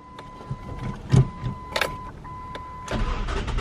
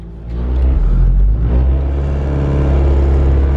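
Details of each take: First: Car after replacing the bottom transmission mount, other mounts found worn: clicks and a chime, then cranks, catches and settles into a steady low idle without shudder or rattles; former vibration gone, runs smooth. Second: Ford Focus ZX3 idling after replacing worn engine mounts: heavy low drumming and shaky throb heard as the before sound; new mounts cure the vibration, no shake or rattle even in second gear.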